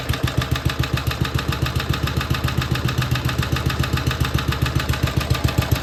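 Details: BSA/Villiers 119cc Sloper two-stroke, after carburettor/engine service: an even, unhurried beat of a bit over two per second with breather sound holds steady; normal, clean idle.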